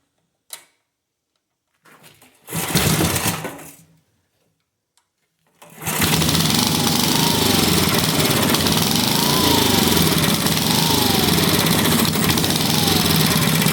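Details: Free vintage engine after carb cleaning and reassembly: after a few pulls it catches into a fast putter wavering in pitch, surging because the choke plate flaps back and forth; needs choke linkage, slight fuel leak seen.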